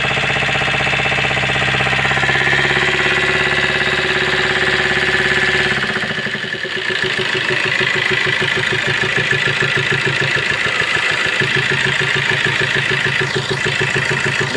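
Diesel idle with a quick, fairly even tap about three times a second riding over the clatter, pointing to a broken rocker arm.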